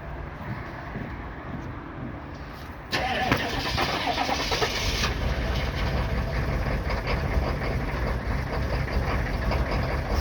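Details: 1995 Chevy 3500 one-ton with 6.5L diesel, cold start: slow labored cranking for about three seconds before catching, then rough, loud, shaky, smoky cold idle; hard starting, cause unknown.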